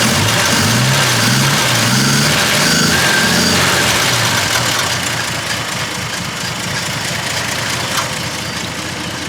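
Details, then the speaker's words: 1948 Dodge B1C pickup, flathead six, revived after years standing with new start solenoid and ignition switch: revs up smoothly and freely, steady even beat without misses or knocking; running healthy. "but it runs absolutely beautifully [Music] as you can hear and it revs up"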